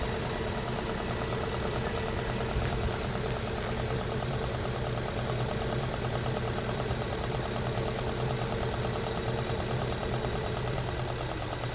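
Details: 2011 Infiniti G37 idling rough in Drive at 500 rpm versus 650 in Park: low, slightly uneven idle with a faint lumpy pulse, felt in the cabin and visible as engine bouncing.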